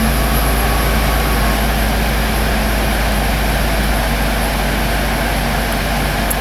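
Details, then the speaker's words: 2008 Pontiac Torrent after A/C condenser replacement and recharge: steady idle with smooth compressor hum as the A/C kicks on, no knocks or squeals, vent temperature falling; A/C compressor running normally. "oh I just heard the pump kick on so kick it on"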